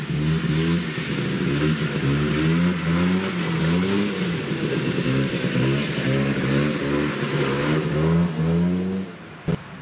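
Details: Yamaha Bravo 250 snowmobile two-stroke, after cleaning Keihin carburetor that had bogged on throttle once warm: revs climb and drop smoothly through repeated blips, no stumbling or bogging; normal acceleration.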